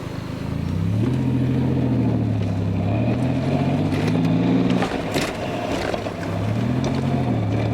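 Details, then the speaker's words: Nissan 300ZX Z31 on its first drive after fitting a Z32 transmission, new engine harness and fuel system, window up: steady whine rising and falling with road speed under throttle; owner suspects gearbox bearing wear. "i'll roll my window up when i give it some gas up here that way you guys can really hear the transmission itself"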